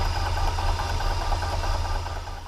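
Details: Milling a metric keyway in a new gearbox shaft with an end mill: low steady hum with no rattle or squeal; the cutter runs clean once past the 1¼-inch diameter where it chattered earlier, a smooth cut.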